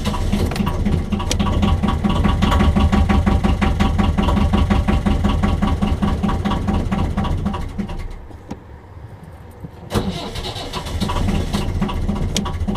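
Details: 1.5 BMC diesel narrowboat engine: steady rapid cranking near three beats a second with brief catching puffs but never runs; hard starting that happens every start.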